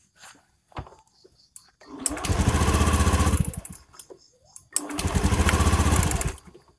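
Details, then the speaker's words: Honda Beat injection scooter misfiring badly (brebet), plug-cap cover removed: engine catches in rough, stuttering bursts of about a second, then cuts out dead; spark leaks through a bad plug cap, plug also faulty. Earlier shop wrongly blamed the fuel pump. "sebentar saya copot penutupnya ini biar kelihatan nah tuh bunyi praktek dan mesin matinya"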